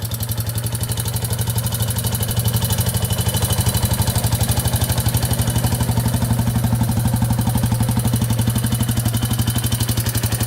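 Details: 2001 Yamaha Warrior 350 single-cylinder quad running with a loud, steady top-end knock about four a second; owner first suspected timing chain, found excessive valve clearance causing valve tick.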